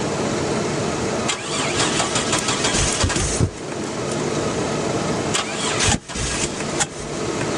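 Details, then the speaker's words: 2001 Chevy Blazer, fresh battery: starter spins engine in steady bursts with pauses but it never fires; crank no-start, owner suspects distributor timing issue. "she won't start they had this holding the distributor top didn't work and now I'm not sure there's nothing holding it down down there now but still won't fire"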